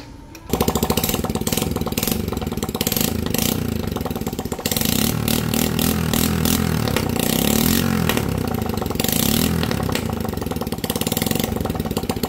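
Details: Honda Wave A100 kick-started after the head was reassembled to fix a previous mechanic's error, exhaust not fitted: engine catches, then steady even putter with crisp exhaust pulses, no knocking; small single idling cleanly.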